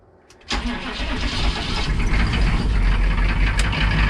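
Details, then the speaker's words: UPS diesel delivery truck after replacing and relocating the fuel injection pump module (PMD), glow plugs warmed: brief crank, then catches at once into a steady, even diesel clatter at idle; normal start and idle. "that fuel system priming sounds a lot better when it's running it sounds a lot better as well"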